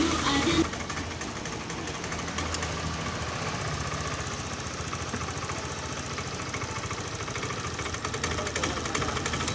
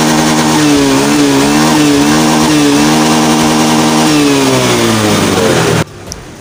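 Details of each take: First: Honda Scoopy scooter that sputters and stalls when throttled: ragged, stuttering firing that breaks up unevenly under throttle; fuel pump pressure is below 40, and the planned fix is replacing the fuel pump rotor and filter. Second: Scopy scooter after repair for sputtering, bogging and frequent stalling: buzzy single-cylinder note holds steady with small pitch rises, no stumbling or cutting out, then stops; runs normally.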